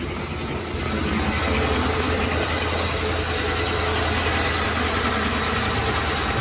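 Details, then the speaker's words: 2003–2011 Town Car, Grand Marquis or Crown Victoria after a power steering pressure switch replacement. Fires up without problem and settles into a steady, even idle with a smooth hum and no stumbles, knocks or whine. Runs healthy. "fired up without the problem nice"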